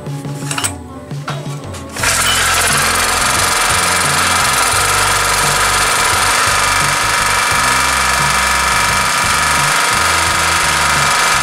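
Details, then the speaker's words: Daito 2.4 kVA portable 4-stroke generator after service for water in the oil, retested: steady, loud buzzing run with even beat, no surging, hunting or misses; runs normally. "OK, tất cả các bạn cho máy không có vấn đề gì và máy vẫn bật bình thường hoặc sinh hoạt bình thường"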